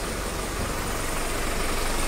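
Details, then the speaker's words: Chevrolet Tavera diesel that would not crank despite current at solenoid, after starter motor replacement: even steady diesel clatter with firm low rumble, no misses; engine starts and idles normally. "गाड़ी भी start हो चुकी है जो हमने replace कर दिया है फिर से बैंड कीजिए चालू कीजिए"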